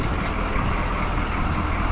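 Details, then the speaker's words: 1985 Chevy K30 4x4 rollback tow truck diesel with new 2.5-inch exhaust: low, even diesel clatter at steady idle, no exhaust bark, whisper quiet, only some rattles out back; normal diesel idle. "now all I hear is some rattles out back that can be addressed but this thing is just whisper quiet"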